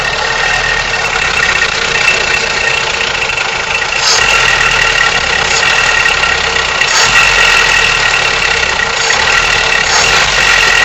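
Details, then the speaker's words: Toyota 3TC engine at idle: busy, tinny clatter at about four beats a second over a steady idle; owner suspects timing chain, unconfirmed. "trying to figure out what this sound is. I don't know. It sounds like a timing chain."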